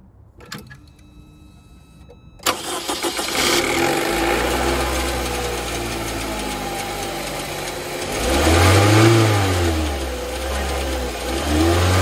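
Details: 2004 Saab 9-3 after replacing spark plugs and coils to fix rough idle, misfire, shaking and code P1312: cranks and catches cleanly, revs rise and fall smoothly with an even note; misfire resolved.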